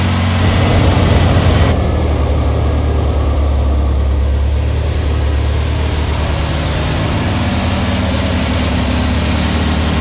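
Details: New air-cooled VW Beetle 1679cc single-port flat-four with Scat C25 cam and dual Empi ITC carbs during its 20-minute cam break-in. It runs loud and steady at fast idle with an even throb and no knocks or rattles. The fresh engine runs well with no leaks.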